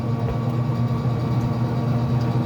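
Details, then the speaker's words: Traeger pellet grill after control board replacement and rewiring; orange wire had been touching the fan, now freed. Steady low hum with fan and auger running smoothly, no knocks or scraping: normal running. "now the fence is free and it operates way it's supposed to"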